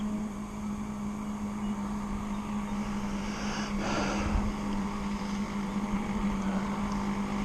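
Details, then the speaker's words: Zenoah 30cc two-stroke in an RC boat, mixture leaned slightly: steady even buzzing idle with no surging or stumbling; normal idle. "That's total idle."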